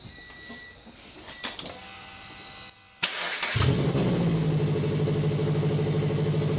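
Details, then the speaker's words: Custom turbo FRS, recorded 2017: engine cranks, catches and settles to idle with a sharp puffing rasp from the exhaust pipe. Exhaust leak where the pipe gasket didn't seal. "that huge exhaust leak on that pipe that gasket didn't seal them"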